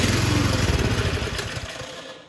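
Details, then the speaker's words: Troy-Bilt Storm 2665 snow thrower (model 31AM6CP3723), sat two seasons, electric start on choke: engine catches, runs roughly a second, then dies, running only on primed fuel; confirmed carburetor fuel delivery fault. "okay so right there I do know 100 that we have a carburetor problem"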